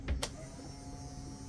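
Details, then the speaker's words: 1996 Sea-Doo Speedster with MPEM removed and accessories rewired through a 20 A fuse block: a click, then steady even motor hum, no grinding or rattle; blower works normally. "So right now, let's hit the blower. Hey, blower works."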